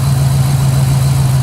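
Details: 2006 Chevrolet Impala SS, LS4 5.3L V8, 69,000 miles, codes P0118, P0300, P0307, at idle: low, slightly uneven drone with a rough pulse of one cylinder misfiring.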